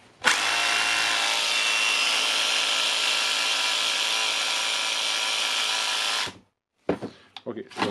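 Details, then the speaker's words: Makita DHR202 18V cordless hammer drill, earlier ran then slowly stopped, worn brushes: after repair, no-load test, steady high-pitched motor whir for about six seconds then winds down; motor runs cleanly, more load needed to confirm. "But I think it's it's repair it. Of course, it need to give more load to check the actually working of the motor."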